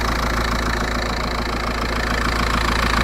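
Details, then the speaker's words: VW Passat B5.5 1.9 TDI diesel idling with no turbo boost, checked for a vacuum leak; a rough, puffing chuff over the clatter comes from a worn, leaking exhaust flex pipe, with no vacuum sucking heard. "if you listen now, you don't hear any other than exhaust flexes knacker. In all fairness, I could probably hear that. You don't hear any sucking about it."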